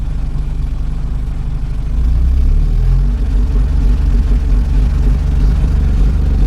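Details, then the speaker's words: 1984 Porsche 944 NA, fuel at about 30 psi: revs up and hiccups briefly around 1300 rpm, then runs clean; owner suspects a fuel delivery issue, unconfirmed, and plans to check spark plugs. "but then it's fine after that [Music] so that sounds like a fuel delivery issue"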